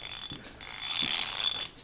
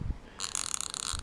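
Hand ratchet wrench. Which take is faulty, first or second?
first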